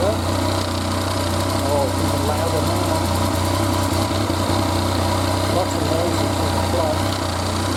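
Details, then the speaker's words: 2014 Yamaha FZ-09 at idle, about 7,430 miles: steady idle with loose, uneven rattle over the engine note; clutch noise present since new, cause not confirmed. "okay now the clutch noise on this one has always been loud let's see what it does"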